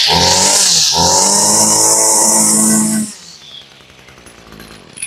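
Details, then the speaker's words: Echo GT-200R two-stroke string trimmer, about 18–20 years old and long unused, just started on full choke. A buzzy rev with a brief dip that never climbs high, then winds down. The owner attributes the low revs to an old spark plug. "Now, if you listen to that, that's the behavior of an old spark plug. Now, this does not rev as high or as fast as a modern weed eater does."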